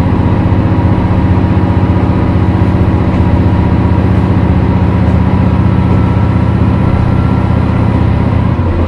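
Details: Isumi Railway 300-series diesel railcar No. 302 accelerating: a deep steady drone with a pulsing beat, constant in pitch and with no clear fault tone; a possible abnormal noise, cause uncertain.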